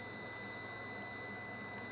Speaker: not sure what that alarm is it's I think it's interfering it's overloading my my power supply that's the beeping that you hear it's not the fan itself it's just drawing too much power